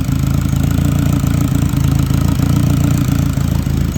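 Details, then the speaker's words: Turbo K24-swapped Subaru BRZ at first startup, possibly after working through bad fuel in the tank, blow-off valve fitted but unclamped; deep, steady, slightly lumpy idle with no knocks or ticks while checking for vacuum leaks; normal idle. "we are idling baby kind of looking for any additional vacuum leak in here"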